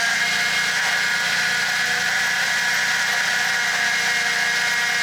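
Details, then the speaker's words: 2002 Toyota Tacoma with solid axle swap and 3-link coilover suspension on 37s, first run after brake bleeding; loud, steady high whir while steering left and right, power steering pump whining. "I love how loud those pumps are. That's good. That's loud."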